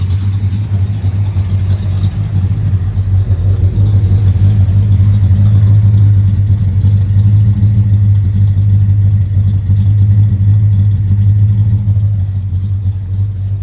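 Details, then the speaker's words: 1969 Dodge Charger R/T V8, original owner, stock manifolds, parked 1982 at about 70,000 miles, restored with other shops' faults corrected, mild roller cam thought to be 508 lift; deep even idle burble, no misses, ticks or knocks, runs really well. "Runs really well now. Cam is pretty mild for a roller."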